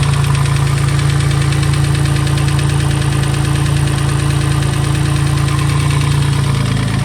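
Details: Newly installed built engine at idle: a steady, dull, even knock about three times a second that follows engine speed, from inside the engine. Cause suspected, not confirmed.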